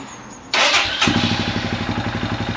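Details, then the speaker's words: Royal Enfield Himalayan 411 single, recently warmed: starts with a burst, idles around 1,400 rpm then slow lumpy pulsing, revs dropping, weak as if about to die; stalls and won't restart when warm; plug, valves, relays, battery, EVAP already addressed; cause unknown. "Normally you can rev it a little bit. It is a little bit more because I ran it a minute ago. See, no, I wasn't doing that before. It's doing that every time now. Yeah, there we go, that's what happens. Eventually, if it gets warm enough, it won't start at all."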